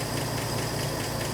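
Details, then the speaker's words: 1984 Ford F150 4x4 idling on fuel poured into the carb bowl after a rough valve adjustment: rough, uneven idle with light, fast ticking valve train chatter; owner fears stuck lifters given badly worn pushrods. "Got a little chatter. I'm really concerned about lifters being stuck because of how bad some of them push rods looked, but wow, it's just idling."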